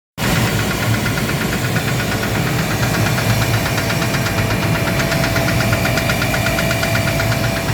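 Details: Gardner Denver screw air compressor running with a rapid regular metallic knock over its deep hum, caused by a defective pressure valve, fixed by replacing it.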